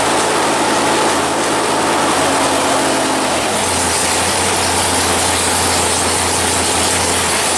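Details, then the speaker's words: 1964 Ford Falcon rat rod with 496 stroker V8, after sitting in a shed: big V8 catches and settles into a low, steady, lumpy idle with an even beat; normal healthy idle. "And yeah, fact checkers said, yeah, it still runs. Yep. Let's crank it up again."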